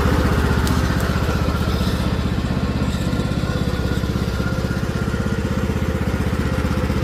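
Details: Craftsman T1600 riding mower after carburetor replacement (old carb corroded, no fuel getting through), fresh fuel: single-cylinder engine pulses fast, about four beats a second, speed hunting slightly under load; surging, cause unknown, new carb, hose still on.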